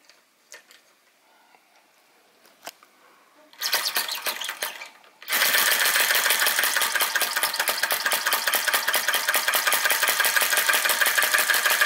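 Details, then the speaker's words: Retro VE-01 Crossbeam flame-licker (vacuum) engine, modified with an added drive pulley, runs with no load after driving a sausage man and a Baker fan. Crisp, even ticking at about three beats per second, running freely and sweetly: normal unloaded running. "there it goes with no load what a nice looking and fun engine and capable of doing a little bit of work"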